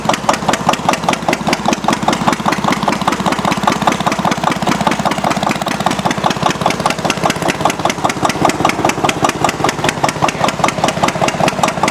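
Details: Antique Witte diesel engine generator set, warm after torch-assisted cold start, switched from a 60 W bulb to about 4,000 W heating-element load (50% load): slow even thumping with heavier exhaust note under load. Normal diesel running under load.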